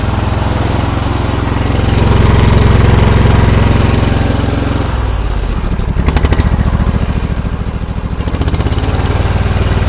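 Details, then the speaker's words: John Deere engine after something jammed it: uneven surging chug with rough choppy exhaust beat; owner first suspected engine, now suspects the muffler, unconfirmed. "I thought something was bad in the motor but now I'm thinking it's the muffler from the bed"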